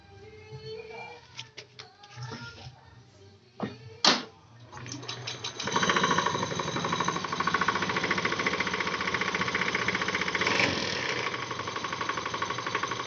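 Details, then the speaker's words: Honda Beat Street scooter CVT at idle: fast uneven metallic rattle that disappears when throttled; suspected worn roller housing or rollers, which were then replaced. "untuk putaran stasioner bunyi tapi ketika sudah di gas atau hilang ada sini ya untuk Ini kemungkinan antara boleh rumah roller ataupun dari rollernya itu sendiri ya"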